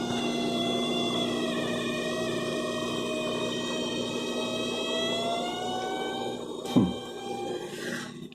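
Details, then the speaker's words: Refrigerator that works perfectly occasionally emits a wavering high tone that bends and falls like a cat's meow over its hum, then a thump; nothing behind it, cause unknown. "Ó, isso aqui é uma geladeira, né? E de vez em quando a geladeira faz esse barulho, ó. Você jura que tem um gato aqui atrás?"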